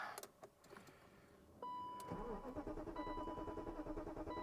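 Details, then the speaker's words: 1997 BMW 740i that sat for years, fuses checked and relays swapped: strong, even cranking rhythm that never catches or fires; no-start from lack of fuel due to a failed fuel pump. "mean the engine tries the engine really really tries to crank which is good it sounds good"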